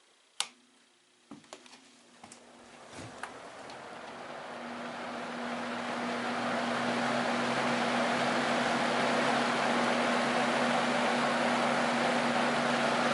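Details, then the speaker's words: Junkyard Torcan box fan, uncleaned with dusty blade scoops, running on high; a few clicks then a steady fairly quiet hum and airy whoosh with no rattle, though airflow is weak; normal fan running on high. "You know what? This thing doesn't make very much noise, but it also doesn't move very much air either."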